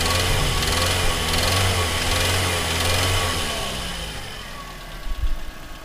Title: Real spun bearing